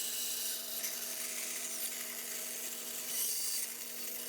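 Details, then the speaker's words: Bandsaw cutting a tight inside curve: steady motor hum under a harsh, rising hiss as pressure goes onto the blade while turning; blade binding in the curve, fixed by backing off and attacking at a different angle. "If you hear that blade binding like that, you hear that when I go there and I'm trying to turn, you can hear me putting pressure on that blade. Just back it back off, attack it at a different angle."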